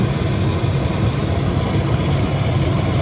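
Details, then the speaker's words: Hoshizaki KM451 ice maker in freeze cycle after manual defrost: steady low compressor drone with no knock or click, poor frost pattern and evaporator not getting cold; weak compressor. "oh that doesn't sound the best no it doesn't all right so i didn't like the uh frost pattern and the way the evaporator is not getting cold into the freeze cycle"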